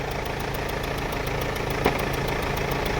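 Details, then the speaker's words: Mercedes-Benz W212 E220 with the 651 four-cylinder diesel at idle after start, check engine light on: fast sharp ticking with occasional louder cracks from the front of the engine; a leaking injector is suspected. "คิดว่าเสียงอย่างเงี้ยหัวฉีดน่าจะรั่วนะครับ"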